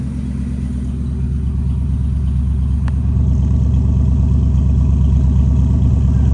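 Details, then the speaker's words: V8 after the distributor timing was corrected, warming up on fast idle at about 1100 rpm (target about 800): steady, deep rumble, even and unbroken with no misses or sputter; it previously sputtered. "It sounds a lot better. I'm sure it does. What should the RPM be at? About 800? About 8. It's on the fast idle though. It's at 11 right now."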